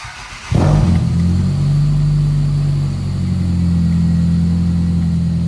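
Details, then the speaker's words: 1995 Toyota Celica four-cylinder with new spark plugs and new red plug wires, battery terminal loose; catches quickly into a smooth, steady idle with no misses, sounding better; normal start and idle. "car even sounds better though with these new spark plug wires. I think he still had the old burned up ones in there."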